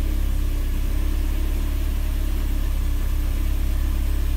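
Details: Mercedes 190E (W201) with prior cold-start trouble, after cleaning the cold start valve connector contacts, started cold after a night at 26°C ambient: deep, steady low rumble at even idle, about four pulses a second, no hunting or misfire; normal cold idle.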